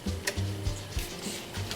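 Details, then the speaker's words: Sony TC-366 reel-to-reel tape deck on fast forward: faint rubbing whir with uneven low thumps as reels barely crawl and counter won't move; perished drive belts slipping, flywheel moves by hand, new belts needed. "yeah that's just what happens to these things the belts perish that's a great shot the belts perish and now you can see it can't even move itself"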